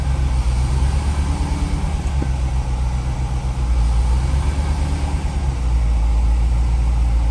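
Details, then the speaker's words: 1990 ZR1 on a complete cold start: idle keeps rising and sagging, hunting without settling into a stable beat; owner suspects a vacuum leak, plenum not yet removed, cause not confirmed. "so you can see it hunting a little bit there for uh a good stable idle it's not happening that's another indication of a possible vacuum leak"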